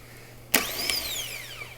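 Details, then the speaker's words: Replacement starter for a 2013 Porsche Cayenne S 4.8L (no crank, no start), bench tested on a jump pack before installing: sharp clack as pinion throws out, high whirring spin winding down, clunk as it retracts; healthy starter. "Nice. Saw that? The pinion gear comes out, and then it rotates, and then it comes back."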